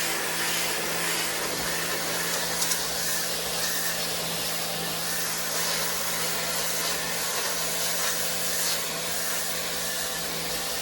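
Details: WAP Extreme Turbo 2800 pressure washer spraying a stone floor: steady loud hiss of spray over an even motor hum with no surging or knocking, running normally under load.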